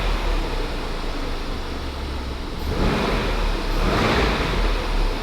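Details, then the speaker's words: Crash-damaged 2021 Range Rover SVR V8 from salvage auction, ran badly until extra jumper pack added for weak battery, engine light now off; deep steady slightly lumpy burble, light revs settle cleanly; normal idle. "how did it go from sounding terrible like it sounds it feels a bit Rocky but it's a V8 is it yeah massive one"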